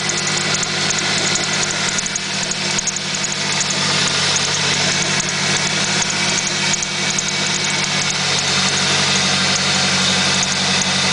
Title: Squeek Chirp Noise @ idle